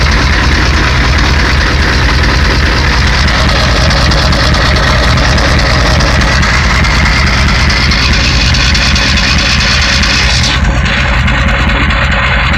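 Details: 1991 Ford 7.3 IDI diesel: heavy clatter at idle with an uneven, lumpy beat, roughly one stumble a second; owner suspects bad injectors.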